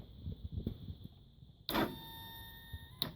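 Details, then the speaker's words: Yiben moped with new starter, starter relay, rings, CDI, coil, plug and oil, kickstart removed: a sharp clack, then a steady electric hum for over a second without cranking; starter engages but engine never turns. "it does that when I hit the, making a weird noise out of there. And it sounds like it wants to turn, but it's not fully turning."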